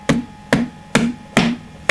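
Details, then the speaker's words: Fender Hot Rod Deluxe III unused for about a year, with blown fuses and no reverb; each bash on the cabinet gives a sharp crackle through the speaker. "a definite kind of crack coming when i when i do that so something not quite right there"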